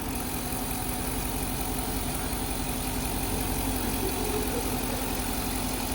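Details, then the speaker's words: EVAP test with a leak deliberately opened at the canister, purge solenoid commanded about 8%: engine idles around 600 rpm with a constant airy hiss through the hose. Engine note changes slightly and short-term fuel trims shift. Vacuum leak. "see you can already hear the air coming through that hose as well as the engine operation changes slightly."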